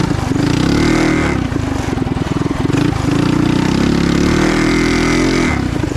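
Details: Trail Master MB200 mini bike, stage 3 223cc single, open exhaust, after metal bushings replaced the rubber engine-cradle bushings: loud revving with steady pull and even chain drone, no jerks or slapping; before, the cradle twisted and the chain skipped. Normal.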